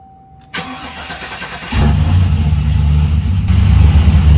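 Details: Trailblazer SS V8 after replacing the GM fuse box (crank-no-start, codes P1682, P0689, P0443): brief crank, then catches straight away and settles into a steady even idle; normal start and idle.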